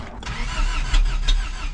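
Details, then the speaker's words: 1st-gen Toyota 4Runner, 22RE engine, 5-speed, first crank after engine rebuild: sharp low pops from the exhaust between starter churns as distributor is adjusted fully one way; ignition timing badly off, possibly distributor one tooth out, causing backfire. "Sounds like it's backfiring off the exhaust, so I'll adjust it all the way the other way. Maybe I'm one tooth off."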